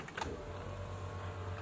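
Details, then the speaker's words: BMW E30 M20B25 turbo, key-on after fixing a faulty fuel pump: steady, even low electric whir, noticeably quieter than before, with no rattle or surging; the pump primes normally and the car then runs. "okay the pump definitely sounds a lot quieter oh yes baby we're in business"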